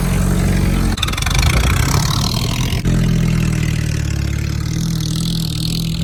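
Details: 1967 Jeep CJ5 old four-cylinder with manual transmission, off the road 23 years, first start: catches and settles into fast, rough idle with exhaust rasp; high idle and janky exhaust.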